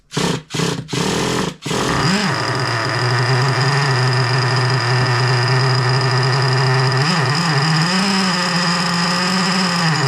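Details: Rebuilt engine with both bearings replaced fires up after a few cranking bursts but won't hold a steady idle, wavering up and down even with idle screw raised; owner suspects carburetor positioned wrong.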